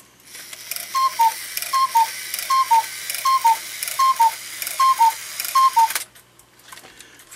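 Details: Hubert Herr one-day cuckoo clock under repair, bellows refitted with new wires: seven clear two-note cuckoo calls, evenly spaced about 0.75 seconds apart, steady pitch, no wheeze; bellows work properly.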